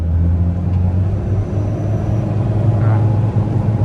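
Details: 2013 Ford Ranger XLS 2.2L diesel, ex-mining truck, on MT tyres, accelerating: steady deep diesel drone pulling smoothly with a faint turbo whistle; engine healthy, turbo spools normally.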